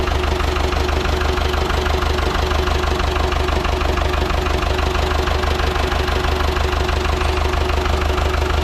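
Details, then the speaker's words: Ford 6600 diesel tractor, sitting about 8 years, just started after starting-fluid spray bursts while cranking; low on antifreeze so run briefly, some smoke. Steady, firm low chug around three beats per second, no knocking or misfire: normal idle. "What? He's running. Now we know that we're low on antifreeze, so we're not going to run it long. Starter did work."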